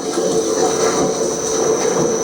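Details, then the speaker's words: Precision Mathews PM-1030 benchtop lathe after fixing a years-long rattle, case back on: smooth even gear hum with faint high whine, rattle gone, sounds normal. "Now it just sounds like you'd expect it to sound."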